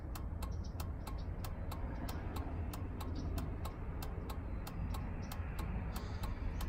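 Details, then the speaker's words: 2003 Chevrolet Suburban after flasher module replacement, tested with the new module and engine running. Sharp, even ticks about three a second over a low engine hum; turn signal flasher working normally. "well I think that's long enough to let us know that it's working the other one would have messed up before then"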